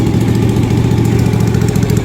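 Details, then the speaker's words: 2000 Suzuki TL1000R V-twin race bike, finished project: deep, lumpy, even loping idle at a steady level; healthy, settled normal idle. "Okay, so we're gonna go ahead and start this machine so that you guys can get a feel for what the V-twin race bike sounds like."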